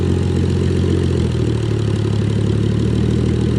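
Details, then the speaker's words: 2JZ-swapped Toyota 4Runner, warmed up, idling a little over 1,000 rpm: steady low rumble with an occasional stumble, misfires the owner blames on the injector plugs; still hesitates on hard throttle. "there we go now it's sounding good still a couple shitty misfires with the with the freaking injector plugs"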